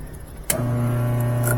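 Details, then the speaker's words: After a short click the motor starts and settles into a steady, even hum with no grinding or knocking: GE washing machine under a year old, motor bench-tested directly, runs both directions, motor not the problem. "it goes the other so the motor's not the problem let's unplug that the motor is not our problem it works"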